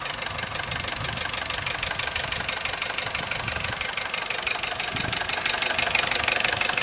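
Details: Corsa C at idle after a new timing chain kit, which made no difference: fast, steady knock of about three per second over a hissy, bright engine note, from somewhere at the back; chain noise gone, cause unknown.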